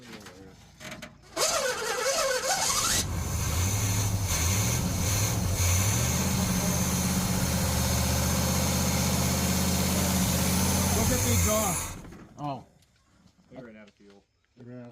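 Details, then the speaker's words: Fire-damaged 1968 Pontiac GTO V8 revival, fuel poured in, throttle worked: catches after short crank and settles into steady even idle, no knocks or misses, less smoky than a 68 Cutlass; normal idle. "fuel it's surprisingly less Smoky than the 68 cutless so that's an improvement dude it sounds good"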